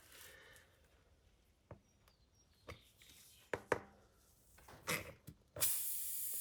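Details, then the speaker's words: Car tyre at full pressure with a broken-off pop rivet pulled out using long-nose pliers: a few handling clicks, then a sudden loud steady hiss of air escaping through the small puncture hole. "Now you can hear the air leaking out of there quite clearly now. So there's a little hole there that we're going to fix up."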